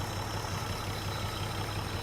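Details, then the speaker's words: 1949 Plymouth Special Deluxe inline engine, first run after sitting 30 years in a pasture, fed by an auxiliary fuel pump because the factory pump isn't pumping: a steady, even low idle with a soft regular chuff and no misses, knocks or ticks. "oh she's idling nice old school man I don't purr like that new these days"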